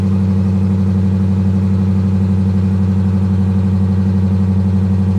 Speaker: Boy, she sounds good though. She does. She sounds nice.